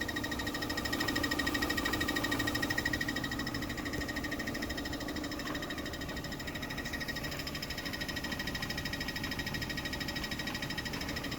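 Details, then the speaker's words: 2013 Chevy Sonic LT 1.8L at idle, after a transmission fluid exchange: steady fast tick about three per second over the running engine; owner thinks it comes from the transmission, unsure whether it's a lifter. Cause unconfirmed. "It sound like it's coming from the transmission. I don't know if it's a lifter or not."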